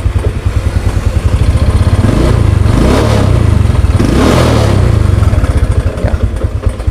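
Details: Motorcycle during a charging check with a 12 V battery and a meter on the terminals: steady low thump at idle rising smoothly through two throttle blips and settling back; an even, normal-running engine.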